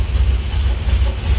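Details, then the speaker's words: Dodge Mopar V8 sat for years, restarted instantly: deep even idle burble with steady low throb, no misses or knocks; normal idle. "now the fire back up started instantaneously good Mopar wood"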